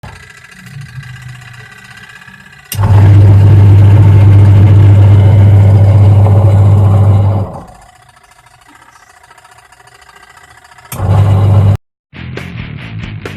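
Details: Leaking washing machine making a rough noise: heavy, rough droning hum swells loudly for several seconds then drops away; rough running noise, cause unknown.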